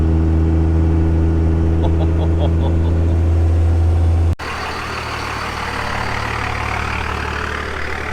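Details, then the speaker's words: Dodge Cummins 24-valve diesel pickup bought at auction, towing a GL450 on a trailer, about 7,200 lb. Deep, steady drone with an even beat and no knocks or misses, then road and wind noise. Normal running under load. "the fact that it runs and drives so beautifully it really helps me feel like I made the right choice listen to this motor"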